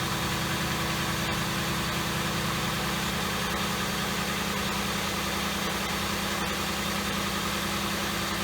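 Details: 2007 Ford Crown Victoria after spark plug misfire fix, at startup with white smoke that cleared when warm: steady, even idle with smooth low hum, no stumble or skipped beats; engine running evenly.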